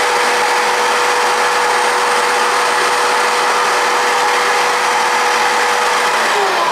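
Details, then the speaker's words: Shop vacuum used as a swarf collector on a VEVOR MR-13A drill grinder; a loud steady roar with a constant high whistle of air rushing through the hood, pulling strongly and running normally. "not only is there a loud noise from the vacuum cleaner itself but you can hear the air being pulled through here and that's pretty loud too"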